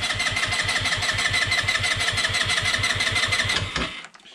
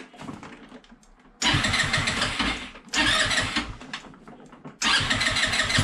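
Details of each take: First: Peugeot Django 125 scooter with newly fitted, bone-dry replacement carburettor (vacuum-operated fuel pump), cranking with brake held, no throttle: steady starter churn about three beats a second, no catch, then stops; won't fire yet. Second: Peugeot Django 125 scooter after carburettor replacement for hard starting and poor running, restart test: three quick cranks catch promptly, each settling into crisp even idle, no misses; idle may need slight adjustment.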